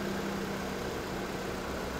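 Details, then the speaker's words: 2014 Ford Fusion 2.5L, after new A/C compressor and recharge, A/C on full blast at idle, low side around 20: quiet steady idle, constant low compressor hum, no grinding or squeal; normal A/C operation. "Cranking it up. AC is on full blast. So, pretty big change from what we had before."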